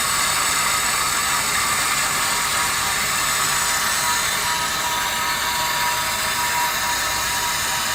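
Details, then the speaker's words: Meter Technology Works SM-15 bronze or no-lead water meter at a few gallons a minute, about 74 dB: steady, even hissing whir with no knocks or surges. Normal water meter flow noise. "so we get about 74 until i start speaking but uh so that was our number on our bronze or no lead sm15"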